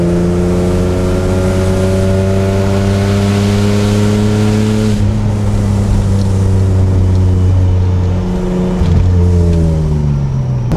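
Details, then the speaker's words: BMW E36 M3 on its first test drive after a rebuild (blown head gasket, bent exhaust valves): revs to 5,000–6,000 rpm pulling well, with a coarse, buzzy, raspy exhaust note rising with speed, possibly a worn muffler. "While this car does sound like crap, it is actually so much fun to drive."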